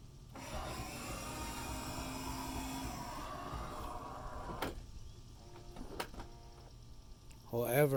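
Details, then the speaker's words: 2011 Toyota Sienna, left power sliding door under power. A rough grinding hum for a few seconds, then a clunk. It is silent when moved manually and the right door is fine; the owner suspects the motor or cable system. "I just bought this Sienna. The door is making a weird grinding sound."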